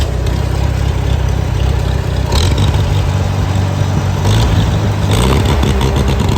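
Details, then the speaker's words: Farmall Super C tractor after replacing the governor throttle spring: engine picks up cleanly from idle, revs climbing and dropping in quick blips with no stumble; throttle response normal, governor was the problem. "so as you can see that worked the tractor runs it's functional I took it around the field I took it down the road and back runs great"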